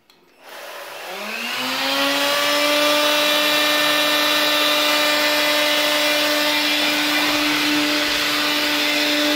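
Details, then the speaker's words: AEG CX7 cordless vacuum motor spinning up to a loud, harsh whine with strong buzzing vibration from a dirty fan impeller; cleaning the impeller reduces the noise. "Er ist auf jeden Fall sehr laut, man hört ihn vibrieren, er vibriert sehr stark."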